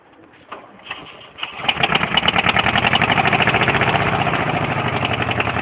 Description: rod knocking. either you know what im talking about or not.